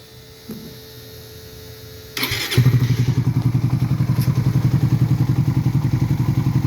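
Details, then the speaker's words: Raider 150 FI at idle just after replacing the connecting rod and whole cylinder head: even idle thump with a light tick riding on it; owner asks whether the ticking noise is normal, cause unclear. "Ayan may tok to to to tokok e"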